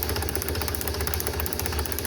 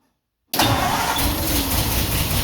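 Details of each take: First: 1949 Ford F1 truck, sitting 20 years, spark test cranking with two plugs grounded out: even rhythmic snapping clicks showing good spark. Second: 1949 Ford F1, rebuilt engine sat 20 years, restart with choke partly on and electric fuel pump, no working water pump: catches and settles into an uneven, lumpy idle, missing on one cylinder; engine misfire.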